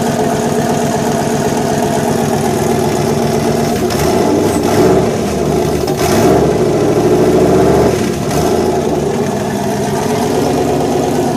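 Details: Fairmont with fuel-injected 5.0 swap, throttle body with IAC, temporary fuel pump wiring, newly running; engine catches, blips up twice, then settles into an even steady idle without misses or knocks, normal idle.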